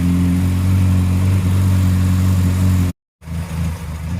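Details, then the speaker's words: Morris Minor after carburettor rebuild and new plugs, nearly warm: low, slightly uneven idle with a faint stumble and small hesitation before recovering; rough idle. "See, she's down on idle now. She's just got a little hesitation. She's not 100% warm, but she's not far."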